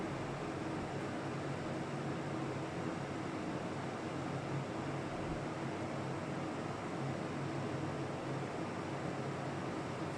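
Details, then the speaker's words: Old Carlton air conditioner, water drained: steady even fan rush blowing warm air with no compressor hum or clicking; the compressor won't kick in, cause not yet found. "it doesn't want to put the compressor on."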